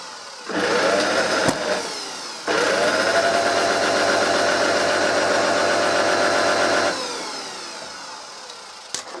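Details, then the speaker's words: Vintage Hoover 160 vacuum cleaner motor on the bench: spins to a steady but low, rough buzzy hum, far too slow, with arcing visible at the bottom of the motor; faulty armature. "sounds like you know not turning the tour there it's going it's going but it's not fast enough it's far too slow it's not running properly and you can actually see arcing right down in the motor there on the bottom"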